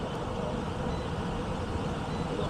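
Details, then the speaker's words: Ancient heat pump air handler after blower capacitor replacement: quiet, steady rush of air with no rattles or hum changes as the blower spins up; door open so free-running, 1.5 A against 2.63 A full load; normal operation. "we'll switch over to amperage check out amperage draw it's going to be higher because the door is open so it's allowing it to free run wild basically"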